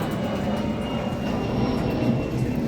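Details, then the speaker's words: Newly installed Shurflo Bait Master pump in an offshore boat bait tank, pumping water: steady even rumble with a thin high whine at constant pitch; pump running normally. "And you can hear the pump going. Any leaks? Can I get the flashlight? A flashlight? Yeah. So, yeah, pump's looking good. It's pumping water, we know that."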